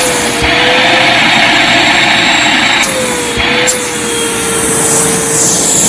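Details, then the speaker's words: Eureka Suction Seal AS3401 vacuum bought new in 2018, turbo brush stopped by hand: high motor whine sags in pitch with sharp clicks, then recovers; brushroll stall noise, cause unclear. "You probably heard but when I stopped it with my hand um it did make that noise"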